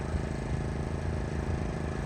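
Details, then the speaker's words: Brand-new Pulsar 4000 W gasoline inverter generator, first run after a one-pull recoil start, on low idle, recorded on a phone from the end of the driveway: steady, not too loud low drone, no knocking or surging. Normal low idle. "Not too loud, it's on low idle. But dang, guys, 1 pull on a fresh new, brand new generator."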